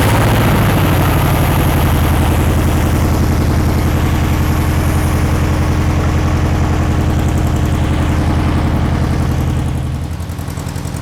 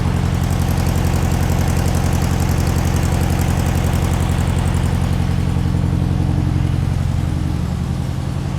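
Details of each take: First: 1960s VW Beetle 1500 air-cooled flat-four, 8000 miles, unstarted since 1973, running on the floor with gearbox after 20+ minutes: even, regular low chuffing at steady idle, no tapping or misfire; oil light out, oil clean, normal running. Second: Long-stored air-cooled VW Beetle engine (sat decades) on first run, carburettor not yet cleaned: low, lumpy idle pulsing about 220 times a minute, uneven and struggling to hold; rough idle.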